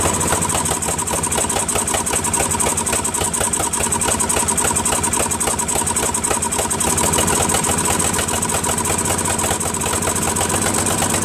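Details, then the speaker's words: First run of a Craftsman 13.5HP mid-engine riding mower's replacement single-cylinder engine. It runs rough and uneven with ragged exhaust popping and backfiring. Owner suspects a slightly sheared flywheel key has put the timing off. "has a lot of backfiring as you can hear I have a feeling that the keyway is not right because when I put that key way in right I had to basically bang it in so I think it might have sheared it a little so I think the timings off just a little bit"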